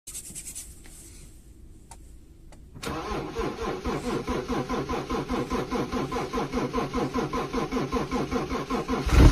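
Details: Cold-weather no-start on an excavator: quiet at first, then the starter cranks with an even, labouring chug about two and a half times a second, and the engine never catches in the cold.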